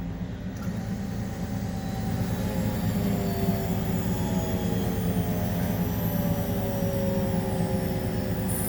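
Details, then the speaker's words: 1999 Newell bus HWH hydraulic leveling/slide system after repairing leaking hose fitting, engine at fast idle: thin whistle rising over pump and engine drone as pressure builds, relief valve opening at full pressure; normal. "right so I hear that whistle that means I should have pressurized everything all right that relief bells opening"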